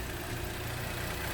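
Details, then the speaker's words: Cadillac CTS/Buick LaCrosse-type GM car after replacing the electronic fuel-injection throttle body: quiet, even idle with a steady low hum and no stumbling or hunting; no more reduced engine power or ESP warnings. Normal idle. "and you can hear the motor sound the engine sound is perfect as it was"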